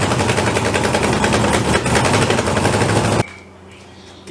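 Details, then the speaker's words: Turbo LS engine first start after fabricating welded headers and piping: loud rapid machine-gun popping following engine speed, then shutoff; exhaust leaking at a header flange with no gasket. "she will accept the headers should probably put a gasket on this side because that's [ __ ] obnoxious"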